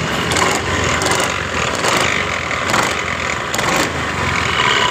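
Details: 2015 Honda BeAT Pop scooter: a coarse kolotok-kotok rattle on starting that gets louder and surges as the throttle opens, with vibration felt at the engine and no clean drive note.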